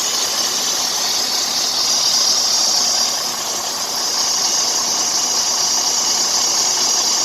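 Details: Freightliner Cascadia with a Detroit DD-series diesel running: a constant shrill, hissing belt squeal that dips briefly then returns. A bad tensioner is pulling the belt to one side and needs replacement.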